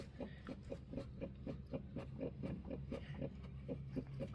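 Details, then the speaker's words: 2005 Chrysler Town & Country, 326K miles, wheel rocked by hand on a lift: about four dull clunks per second. Worn-looking new driver-side strut suspected; side-to-side play found not in the rack, tie rod suspected. "One, our uh new strut doesn't look so good. So, I got a feeling that's probably where the clunky clunk is coming from."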